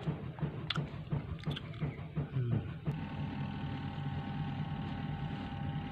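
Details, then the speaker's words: Akari AWM-12SK washing machine, spin motor after original and replacement capacitors (4, 5, 14 µF) failed: steady low electrical hum after handling clatter, no spin-up; motor hums but won't turn. "kapasitor tester kapasitor aslinya tetap tidak mau berapa ekor sudah diganti tapi dinamo Spin masih tetap tidak mau berputar ini cuma terdengar suara dengung mesin cuci Akari model awm 12sk"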